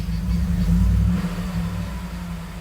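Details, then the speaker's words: 2011 Ford F-150 after the failed fuel pump relay fuse was replaced: it now starts, though the "turn power off to save battery" message remains; a brief rev, then a smooth, even, low rumble with no misses; normal idle. "Seems like it gave us the same message, but it cranked up. It was not cranking up before. So I think that's a good sign."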